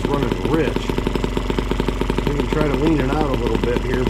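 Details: Small M12B model engine running on white gas, warmed up, half throttle, after leaning the needles: fast even buzzing beat with a crisp exhaust note and no stumbling; now running cleanly rather than rich.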